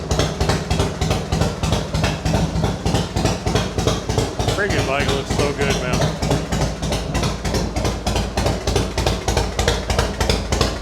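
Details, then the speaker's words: Harley-Davidson Fatboy V-twin rebuilt after a wreck, just started, easy starting. Strong even loping idle, firm and regular, no misses or knocks; owner suspects compression near 10.5:1; normal healthy running. "There it is. It's back. Yeah, that sounds great."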